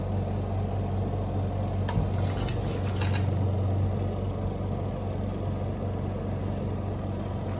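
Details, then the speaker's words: Washing machine after replacing its faulty spinner (dryer) motor, run on the timer with the lid closed because lifting the lid stops the motor: even low hum, steady with no grinding or knocking; the new motor runs smoothly. "Motor जो है काम कर रही है, देख सकते हैं आप, चल रही है मोटर।"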